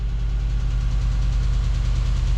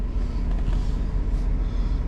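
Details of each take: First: 2009 Chevrolet Tahoe 5.3 LS just after oil pump replacement, running without water pump or intake air tube: steady low idle with light fast lifter ticking until oil pressure fills the lifters. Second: Warm idle of a 2009 GMC Yukon 5.3 LS V8 after oil pump replacement for low oil pressure, run about 15 minutes: 40 psi oil pressure, just under 210°F water, over 14 volts; steady even rumble with no knocks, ticks or lifter noise, healthy.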